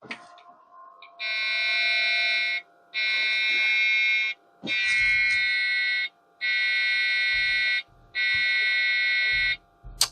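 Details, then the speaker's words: Rescued vintage Dell PC (third system, Rage 128 Pro AGP card fitted) at power-on: five long steady beeps with short pauses and no boot. POST beep code; owner suspects memory, not confirmed. "I would say no it almost sounds like it's complaining about memory I just don't know the postcodes beeps"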